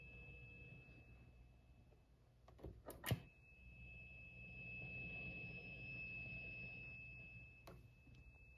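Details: ENGL Fireball 100 guitar amp, just over a year old: thin piercing high-pitched tea-kettle whistle after a knock, holds then cuts out; loudest on clean channel, takes a while to start, intermittent and worsening; owner suspects a bad preamp tube.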